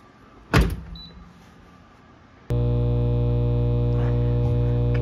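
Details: GE dishwasher that wouldn't drain, after cleaning the filter, running a test cycle: brief clatter then steady even electric hum; drain pump runs normally.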